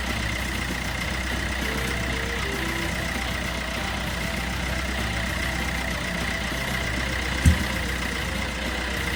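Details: 2012 Peugeot Bipper diesel after timing chain kit replacement (guide had almost broken off, was noisy): even, steady idle with constant low drone, no ticking or rattle; running smoothly.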